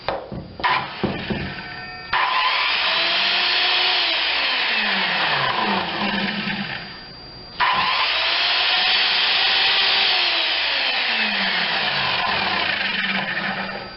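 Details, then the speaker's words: Skilsaw SPT77WML 7-1/4 in worm drive circular saw from a junk pile, run on a GFI-protected outlet: motor spins up to a steady high whine, coasts down and runs up again smooth with no grinding; runs normally, only the blade nut is worn. "That one runs. So let me look it over more and see if there is some Yeah, everything seems to work."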